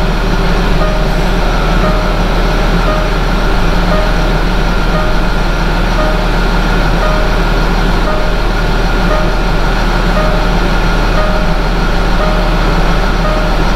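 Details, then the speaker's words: 2011 Land Rover Discovery 4 diesel after fuel filter replacement and priming by cycling ignition: steady, smooth idle drone with no stumbling, surging or misfire; no air in fuel system, running normally. "всё работает всё нормально завоздушивания системы нету никакой"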